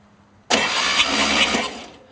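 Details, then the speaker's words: Engine cranking with only one exhaust pipe fitted, slight compression heard escaping: as the key turns, a loud, sudden high-pitched scream for about a second and a half, then fading; horrible screeching while cranking. "there's slight compression coming out of this one it sounds like the turn it one more time but it's just making that horrible screaming sound"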